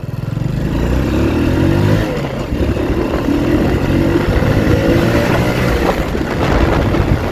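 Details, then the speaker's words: Honda Wave 110i motorcycle, riding test after repair (aftermarket part fitted) of stumbling/cutting out above 50-60 km/h at full throttle: engine now pulls steadily past 60 with no stumble, wind noise. "ฮะอาการวูบก็หายเรียบร้อยแล้วนะฮะเพื่อนๆอัตราเร่งดีนะฮะไม่มีวูบอีกแล้วนะฮะ"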